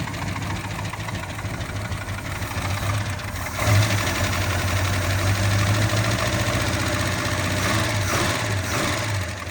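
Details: 1972 Plymouth Duster big-block six-pack V8 bought at auction, just started with about 65 psi oil pressure: uneven loping idle with a stumbling beat and surges, smoking and burning oil; rough running, cause not pinned down.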